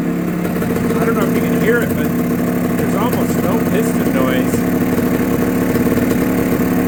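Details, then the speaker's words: Barn-find TS250, original and well preserved, running after carburetor work: even, crisp two-stroke idle with a fast steady beat, no rattle or piston slap; engine sounds great. "I'm not going to bore you to death with that but it's running and it sounds great I mean"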